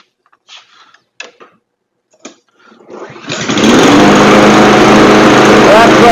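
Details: Troy-Bilt TB220 push mower, 159cc overhead valve engine, after carburetor cleaning and recoil repair: after a brief pull it catches and holds a steady, even high drone without surging or hunting.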